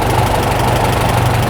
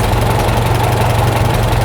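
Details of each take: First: Farmall tractor (M/350/400/450 type) after an International carburetor rebuild, idle speed screw backed out from a too-high idle to a slower one: a steady, low, even idle with a smooth exhaust beat and no flutter. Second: Farmall tractor with a freshly rebuilt carburetor, idle mixture screw backed out: a low, uneven, fluttering idle that never settles. Rough running from the mis-set mixture screw.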